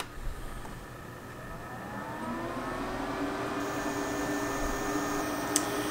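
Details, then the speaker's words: Portable Breezy 3-speed evaporative air cooler with washable sponge filter, switched on to highest speed, then stepped lower: soft whir rising in pitch, then smooth even hum with no ticking or rubbing; fan healthy. "so i have low low lower okay so it starts out the highest guys try it again that's the highest second depression a little lower a little lower"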